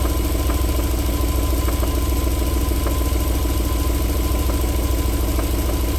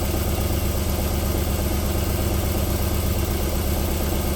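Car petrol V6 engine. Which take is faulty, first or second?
first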